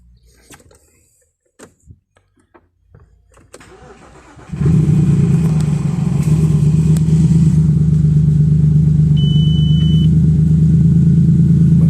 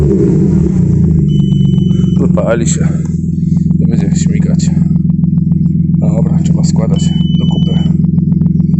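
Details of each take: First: Audi A6 C6 2.4 V6, first start after a breakdown with the oil pan refitted: it cranks, catches and runs lumpy and misfiring with the check-engine light blinking, traced to low battery charge at start; it later idled evenly. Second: Audi A6 C6 2.4 V6, first start after repair with oil pan reassembled: even, steady low idle with no stumble, knock or surge after it first ran rough on low battery voltage; drops off revs well, smokes slightly, check light still on; normal idle.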